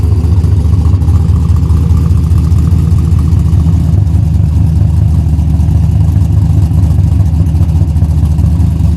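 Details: Junkyard-rescued old Buick Skylark idling after reconnecting the battery, possibly low on gas: steady, even low rumble with no knocks or misses; normal idle.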